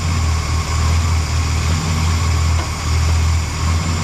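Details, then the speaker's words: 1975 Lincoln Continental with freshly rebuilt 460 V8, after fixing a misfire: deep, steady idle with an even beat and slight level swells, no stumble, miss or valve train noise; normal idle. "Awesome, we fixed our issue. And there was 0 valve train noise."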